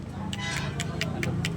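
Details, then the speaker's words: Kawasaki Barako motorcycle engine opened up with the connecting rod rocked by hand on the crank: sharp metallic clacks about five a second from excess big-end play, the source of the noisy engine; rod to be replaced. "So ito yung maingay sa kanya yung makina niya yung kanyang connecting rod."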